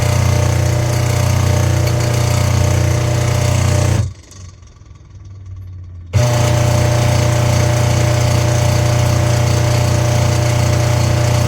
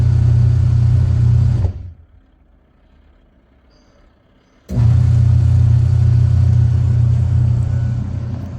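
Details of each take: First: Washing machine motor running: loud, rough, rattling hum in bursts from worn motor bearing/bushes and faulty wiring; belt also broken so pulsator not turning; fix is opening the motor and replacing the bushes and wiring. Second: Washing machine after repair of loud motor noise, with the broken belt and the gearbox replaced: motor runs with a smooth, steady low hum, stops briefly and restarts, no grinding or knocking; noise gone.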